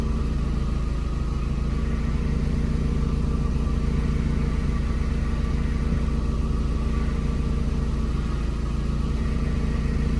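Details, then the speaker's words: VW Gol G4 with hydraulic power steering idling: steady low groaning hum that stops when the steering wheel is turned and returns when released; worn power steering pump. "Perceba aí, pessoal, quando eu mexo o barulho para, ó. Mexi, ó. Parou, ó. Soltei o volante, ó. Continua."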